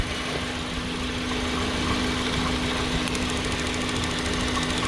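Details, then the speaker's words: 2009 Hyundai Getz petrol engine running rough at idle, uneven stumbling misfire; an incandescent test light to earth shows the spark plug lead boot leaking spark everywhere, so spark isn't reaching the plug. "you can see that it's just leaking everywhere so all that is incandescent test light connected to earth that gives the lead the ground and it process a thousand percent that this boot is leaking"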